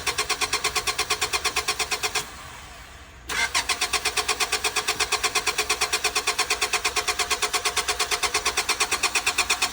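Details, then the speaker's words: 2000 Honda Accord at an auction yard, jump pack hooked up: rhythmic starter cranking at about three turns a second that pauses and resumes, with no firing. Cranks but won't start; no fuel suspected, though it reportedly just ran. "Doesn't sound like she's firing at all. Said he just had it running. Doesn't sound like she's getting any fuel."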